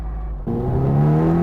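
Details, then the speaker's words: Porsche with a Volkswagen transmission, loose and sloppy, also pops out of second, driving in fourth: a clear whine rising steadily in pitch with road speed over the engine; transmission whine in fourth gear. "and then when you put it in fourth, well, it makes another most annoying sound in the world, like the Diablo. Just a horrible whine."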